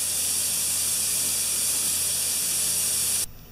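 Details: Compressor that sat 8 years, after reassembling a valve spring: steady loud high hiss stopping abruptly, compressed air bleeding back past an unsealed check valve; pressure on both sides, leakage.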